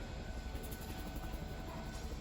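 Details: 2022 Tracer 24DBS travel trailer, power awning extending: low, steady motor drone with a faint constant hum and no catching or grinding. Normal awning motor operation.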